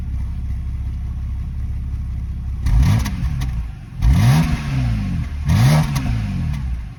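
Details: BMW N52B25 stock engine cold start, lumpy uneven idle, three short blips stumbling and hesitating under revs; codes P0012 and P0015, running rough due to timing issues. Camshaft timing fault.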